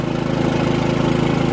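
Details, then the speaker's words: Harbor Freight Predator 3500 W generator, about 25 hours, fresh oil and new plug, running a 15K AC on high auto, refrigerator, six lights and a TV, about 17.8 A: steady, even drone with a quick regular pulse, no misses, hunting or surging; carries the load smoothly. "now I have my 15 K air conditioner on hi Otto right now it's cooling nicely"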